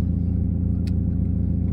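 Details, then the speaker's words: 1996 Mazda Miata 1.8 four-cylinder, fully warmed after about 10 minutes, following new spark plugs, ignition wires and valve cover gasket for a misfire; smooth even low rumble, no engine light, good oil pressure; normal warm idle. "no engine light oil pressure is looking good everything's looking good idle's killing where it should be"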